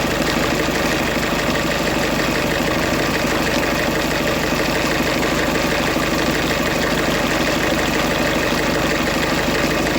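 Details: 2008 Ford Fiesta van 1.6 diesel with crank-no-start and P0698 sensor reference voltage code; running with a safety pin bridging the 5 V reference between the crank sensor and the EGR potentiometer. Steady idle with an even clatter, no stumbling or knocks. Normal idle.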